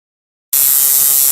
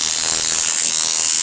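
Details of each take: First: Coil tattoo machine running on its conventional mechanical contact-screw switching, before hookup to an electronic pulse generator: fast, even, high-pitched electric buzz, steady throughout; normal running. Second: Coil tattoo machine (weak rear spring) driven by an electronic pulse generator at 80 Hz, duty cycle raised past 40–41%: fast, thin, slightly ragged buzz as running decays from too high a duty cycle.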